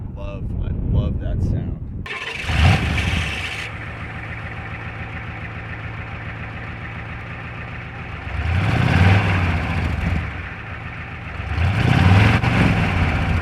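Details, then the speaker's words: 27-year-old 7.3 diesel truck, high mileage: cranks briefly, fires and settles into steady even diesel clatter at idle with two clean throttle blips; runs great, normal diesel start and idle. "so as y'all can hear this thing's already a beast but I plan on doing a lot with it"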